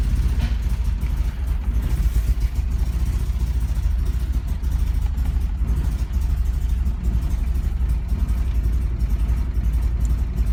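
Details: 1999-2000 BMW E46 318i M43TU 1.9 petrol: after sudden power loss at speed, cranks and fires but lumpy, uneven very rough idle, dies on any throttle; fuel pump relay clicking on and off; spark, fuel ok, pump, filter, relay replaced, no codes.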